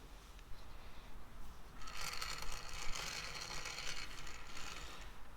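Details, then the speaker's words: Indicator tip riding the rough casting crust of a new ductile iron blank on the lathe while indicating the OD, for a Walker-Turner radial arm drill adapter plate: dry steady hissing scrape, harmless contact noise, nothing wrong; a wide radius tip helps. "sure it's going to make quite a few people cringe hearing that but there's nothing wrong with that sound right there it's just it makes the sound it makes going across that crust"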